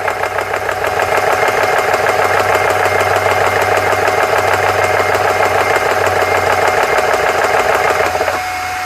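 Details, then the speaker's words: GX CS3 compressor after O-ring repair (four O-rings replaced), reaching about 4,300 PSI: steady fast pumping chug with high whistle, pitch settling at pressure; worked, slightly slow, owner thinks an adjustment exists. "There it is. All right, she worked. Seems a little slow, but I think there's an adjustment for that."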